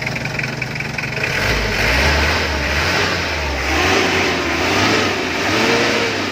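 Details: Mitsubishi L300 diesel after injection pump rotor head replacement and two injector nozzles fixed, which cured hard starting, stalling and power loss: the engine picks up cleanly, rising and falling smoothly through several blips with no misses or knocks; normal revving.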